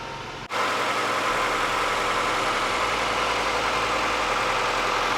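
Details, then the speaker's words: Honda B16A engine in a donor car at 147,000 miles, started before removal for rebuild: catches within half a second and settles into a smooth, quiet idle with no tapping or knocking; healthy four-cylinder, transmission also without grind. "Well, there you have it, guys. 147,000 miles and this engine is super quiet, no knocking whatsoever."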